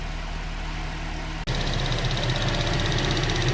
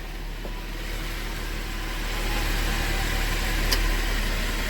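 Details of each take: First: GM Acadia at idle after repair: light, fast ticking about three a second traced by hand to the evap vent solenoid; usually fixed by replacing the solenoid. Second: GMC Acadia after an engine repair with the head machined, running after its first startup (noisy until oil pumped up): a low, steady idle hum with an even beat and no knocking or ticking. A normal idle.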